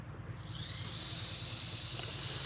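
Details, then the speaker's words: Classic 1980s Bachmann pancake-motor model locomotive after gear service and regreasing: soft even whir with light hiss, no clicking or catching; gears mesh cleanly, normal quiet drive. "no noise no click click click click click click click click"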